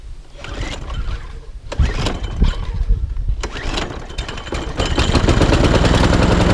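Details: ATCO Admiral petrol lawnmower after a full service, first start primed three or four pumps and throttle on fast: a few rough pulls and sputters, then it catches and settles to a steady, even fast run.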